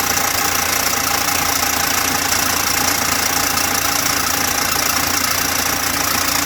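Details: Engine that ran out of oil from a broken oil pump and kept being driven until it stopped: harsh regular knocking three or four times a second over clattery running; oil starvation knock.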